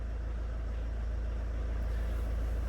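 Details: Car bought as a non-runner from auction, idling after the engine management light was cleared and before a test drive: steady, even diesel idle with a smooth low drone and no knocks, misses or hunting; sounds healthy.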